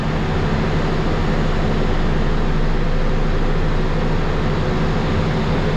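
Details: Cummins ISL9 after an in-frame rebuild for dust damage, with a retrofitted truck-style fan, at idle. A deep, steady rumble with constant fan rush and no knocks or misses; it charges and has good oil pressure: a healthy, even idle.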